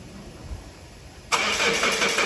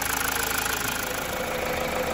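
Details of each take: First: 2016 Mazda 6 towed in after breaking down while driving, code P0337 crankshaft position sensor A circuit low, cranked after swapping in a second-hand crank sensor: steady even cranking about three turns a second, never catches; crank-no-start, sensor circuit fault. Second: 2016 Mazda 6, towed in as a no-start with code P0337 (crankshaft position sensor circuit low), now fixed by cleaning the ECU contacts: a smooth, steady idle with no misses or knocks, and no codes after a 20–30 km test drive.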